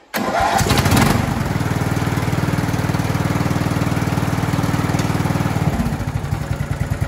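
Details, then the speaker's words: 26-year-old Craftsman lawn tractor, Briggs & Stratton 15.5hp single-cylinder OHV, Walbro carburetor, after needle valve and seat fix for fuel in oil: catches within a second, steady even thump about three beats a second; runs well. "know runs pretty good for a 26 year old machine"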